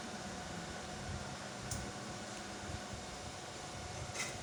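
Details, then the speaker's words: 6 kW 48 V rackmount hybrid inverter with LVD and ATS, no MPPT, pre-shipment test, switched on without load: quiet even fan hum with faint steady electrical tone, no rattles or surging; normal inverter fan hum. "Oke, ini dia inverter sudah menyala."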